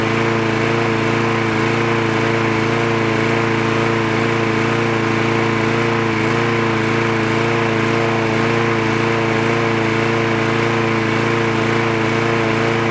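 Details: Trash-picked free Craftsman lawn mower with automatic choke, running after the spark plug wire was reconnected: a steady, even engine drone at constant speed with no misses, surging or knocks; it runs cleanly.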